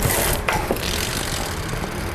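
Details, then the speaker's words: Motobecane TX8 Pro 3 bicycle with disc brakes after a brake noise fix, with the wheel spinning quietly apart from faint freehub clicks and no brake squeal or rubbing. "지금 소리가 없어졌고요 바로 마감할게요"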